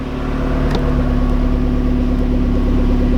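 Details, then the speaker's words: Mazdaspeed Miata newly fitted with a used Megasquirt loaded with a downloaded Mazdaspeed base map, wideband not yet connected: fires at once and holds a smooth, steady idle with no misses or knocks; clean start. "let's see if she'll start look at that it starts up like factory do this thing starts up better than mine"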